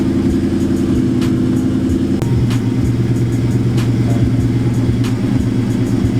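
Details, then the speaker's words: Cammed nitrous Mustang after PV tuning fix, idling around 850 rpm, previously rich and stalling as cams loped; deep, lumpy cam idle holds steady and even, settling lower without stumbling or dying: healthy warmed-up idle. "yeah with the cams my idols about 850 you get that good low fee sound but yeah a big shout out my boy PV tuning man fixed the car"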